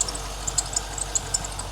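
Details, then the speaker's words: Stock C5 Corvette V8 on the dyno before baseline pull: sharp high chirps stutter irregularly over a low steady idle, accessory belt slipping and squealing; belt squeal expected to cost some power, cause not confirmed. "So the mufflers are going to add a bit, but that belt squeal is going to take some away. Yeah, so you guys could probably hear that in the background here."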